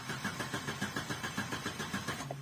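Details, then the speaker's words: Opel Corsa Z14XEP with check engine light on: steady starter cranking about six compression pulses a second, never firing; crank-no-start, diagnosed as fuel supply failure rather than the coil pack. "That's the problem I have. So I know it's the fuel."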